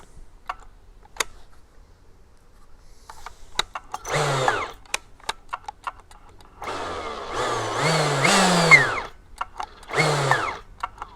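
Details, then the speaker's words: Husqvarna T542i XP battery top-handle chainsaw, after greasing the clutch bearing through the shaft holes to cure a squeaky-wheelbarrow squeal: short bursts of the motor spinning up and easing off with no squeal; clutch now runs quiet and normal. "Ah that's actually fixed the problem so if any of you guys get that real horrible wheelbarrow sound old squeaky wheelbarrow just grease that up um that solved the problem"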